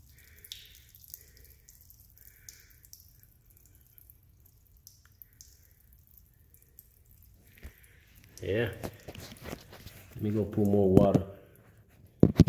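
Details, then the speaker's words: Car sunroof drain being unclogged, with hot water added to help: quiet at first, then a steady trickle and splashing as the blockage opens; the drain is clear and flowing freely again. "Hear it coming out. See? But look. Oh yeah, it just opened up right now."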